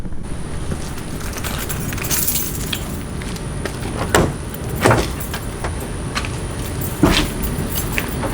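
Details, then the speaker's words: Cold idle with a loud, uneven, diesel-like clatter and sharper knocks every second or so; not rod knock but a noisy throwout bearing (aftermarket bearing and clutch with aluminium flywheel), loudest when cold at idle. "That is not rod knock, it's a throw bearing. It sounds very loud, I don't know why."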